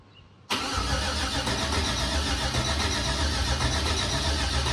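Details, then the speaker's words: LS-swapped OBS K2500 truck during oil priming: steady fast starter churn with even compression pulses and no firing, cranked on purpose to build oil pressure before starting. "So we're going to be going through the priming cycle one last time, and then we should be ready to start it. So fingers crossed that it's an easy startup."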